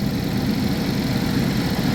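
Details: 2011 GMC Terrain or Chevy Traverse, recurring P0341 cam code after new phaser solenoids and cam sensors; acts up only when hot. Cold idle while cam waveform is scoped and looks decent: even, steady low drone, no misfire or knock; normal.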